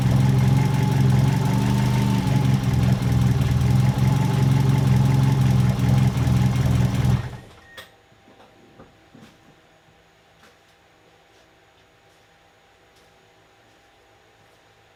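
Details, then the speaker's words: Ford Escort GT idling about seven seconds then shut off, just after BP4W head swap (original head pulled for stripped plug hole): smooth quiet steady idle, no lifter tick or knock; swap judged a success, timing not yet set. "that is so much quieter if the solid lifters in there well anyways we'll call that a success"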